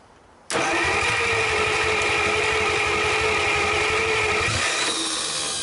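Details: 1949 Buick straight-8, first start in years, with distributor cap and rotor from a 1950 parts car and gas fed to the carburetor; starter whirs about four seconds in an even rhythm, turns over without firing.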